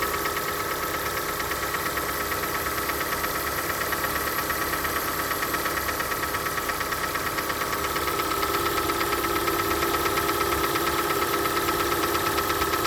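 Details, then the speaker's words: Hyundai ix35 cold start: even light tapping about three per second over smooth idle, quieter as engine warms but rustling still heard when hot; owner suspects hydraulic lifters (valve lash compensators), not confirmed. "так вот эта машина моя супруги и на холодную начался вот такой стук потом машина прогревается стук становится тише"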